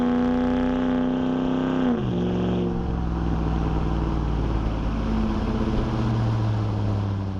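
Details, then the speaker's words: 2009 Dodge Ram 5.7 HEMI V8, freshly broken-in replacement engine, new Flowmaster Outlaw dual exhaust, driving through a canyon: deep throaty rumble climbing in pitch, quick drop at the shift, then pulling strongly again; smooth, even note. Healthy V8 exhaust under acceleration. "It just, I can't even describe how much it changes this truck from just being loud all the time to being pretty mellow and throatier. Like, listen to it. It's just really deep and throaty."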